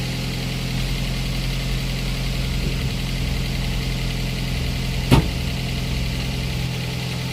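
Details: Daihatsu Gran Max 1.3 after an engine overhaul for lost compression. It settles into a smooth, even idle with a steady low hum and no knocks or misses. It idles normally.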